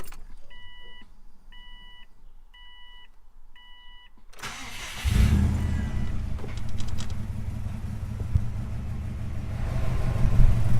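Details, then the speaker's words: Subaru WRX/STI with aftermarket 3-inch exhaust, start then idle: after a short chime the engine fires into a loud, raspy low rumble with puffing, sounding pretty bad from a leaking exhaust gasket before replacement. "I'm going to get you hear what the car actually sounds like with this exhaust leak it sounds pretty bad"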